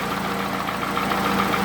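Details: Toyota Camry, 2AZ gasoline engine, 220,657 km, smoke from under the valve cover; recorded by the running engine: idle with regular sharp tapping about six to seven a second. Internal knock, cause not determined.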